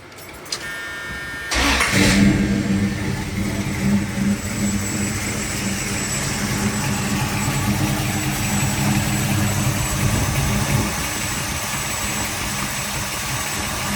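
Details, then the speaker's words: 1979 Dodge D150 small-block Mopar, Edelbrock VRS 650 carburetor, old PCV valve, vacuum advance unplugged: high idle in park, then in gear it idles unevenly, bucking, vacuum gauge swinging around 11.5–12, nearly stalls; vacuum leak from faulty PCV valve. "I drop it in gear and the the thing starts jumping and hopping and bucking and all that stuff. The vacuum goes wild."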